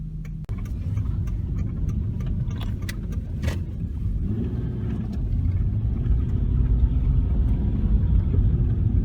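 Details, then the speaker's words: 2004 Ford Escape test drive on slushy road after replacing the scored, heat-warped rotor that squeaked every wheel revolution: low road rumble and tyre roar, no squeal when braking, no pull; brakes now quiet. "okay we're going down put on the brakes a little bit no more squeaking is it pulling to one side you know no"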